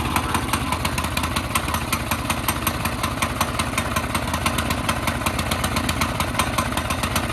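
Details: CT200U minibike on a stand, right after the Stage 1 kit, cone filter and jet change: a fast, ragged, uneven popping exhaust beat at idle with lots of smoke and possible backfiring. Rough running, cause suspected, not confirmed.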